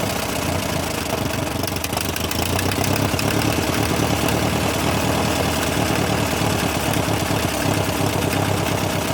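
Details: Massey Ferguson TO35 after rebuild: rough idle with a rapid tick-knock about three per second over the engine; source not identified; engine ticking.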